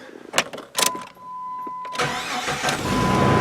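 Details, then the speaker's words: 1999 Jeep Grand Cherokee 4.0 4x4 after replacing the failing, likely original starter: a few clicks, then a short crank and the engine catches quickly and settles; healthy starter, no drag or grind; normal cranking and start. "way better fella oh yeah much nicer"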